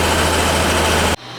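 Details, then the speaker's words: Inducer fan on a Goodman gas furnace that isn't heating the house; steady, even low hum at constant speed, then an abrupt cutoff. The fan runs normally and kicks on once the flame ignites. "the fan seems to be running okay yeah the fan will kick on once the flame ignites you know"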